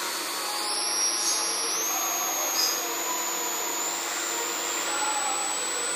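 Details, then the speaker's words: 12 V to 24 V LM324 boost converter under load, sensitive microphone at the coil: thin high whistle holds steady then jumps in steps as output voltage collapses under load (about 17–18 V limit); inductor coil whine. "but I put my extremely sensitive microphones in there and yes and now we can clearly this in the coin wine a listen how the frequencies changing from 330 volts to 17 holes"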